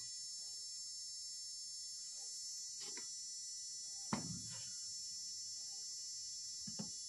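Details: Drone motor driven by Arduino via MOSFET on a separate charger supply, speed raised slightly from zero: thin, steady high whine holding one pitch, no rattle or roughness, a few handling clicks; motor spinning smoothly at low speed.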